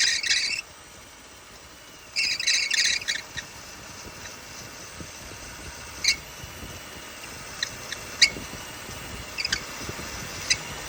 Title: Loose Belt Making Noise #automobile #autorepair #mechanic